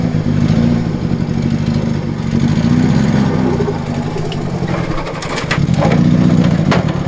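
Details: Nissan Silvia S13, long unused, driven and revved onto a trailer: uneven, lumpy running with stumbling beats, missing badly; owner suspects exhaust leak and overfueling, also possible head gasket letting water into a cylinder; cause not confirmed.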